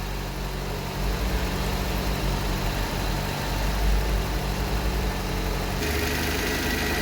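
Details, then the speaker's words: Barn-find Vauxhall Viva, started with fuel poured down the neck: steady, even low rumble, no misses, knocks or hunting; smooth settled idle. "I've already poured a bit of fuel down our neck to get her going. That is sounding pretty sweet, that like."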